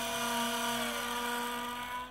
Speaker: go back here sounds perfectly normal just the motor noise but going in this direction I've got an obvious squeak